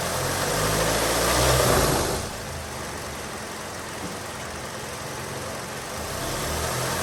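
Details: Hyundai Sonata idling with AC on, no check engine lights, after throttle body cleaning and new spark plugs: lumpy, uneven idle with low wavering throb and vibration; bad motor mounts suspected.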